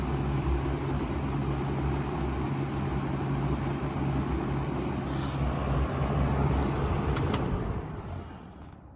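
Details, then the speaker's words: Wells Royal S-122 fan on low, louder and deeper-pitched from its smaller blades: a steady, fairly loud hum with an even airy rush and no rattles or ticks, then it winds down. Runs healthy. "but yeah so they both ran very well um with the running i mean you can get a little bit less air with this fan but you know quieter noise and sounds nice"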